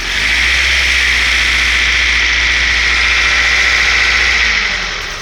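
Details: 1998 Honda CR-V at cold idle, steady high-pitched squeal only when cold, worse below -5C, absent when warm or in summer; owner suspects a condenser pump pulley, slipping belt or dragging pulley possible, unconfirmed.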